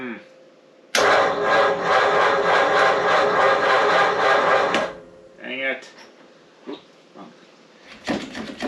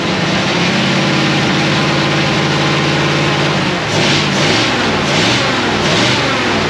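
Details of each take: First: 1937 Ford taildragger with a 59AB flathead on a 6-volt system: a slow, laboring crank at about four turns a second for four seconds that never catches. Suspected bad new battery, possibly a shorted cell, and possibly a bad coil; unconfirmed. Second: 1937 Ford with a 59AB flathead V8 and full dual exhaust, on a hot, humid ~80°F day. It runs after a failed new condenser was swapped for an old one. Steady, even idle with clean pickup on light blips; it fires on all cylinders.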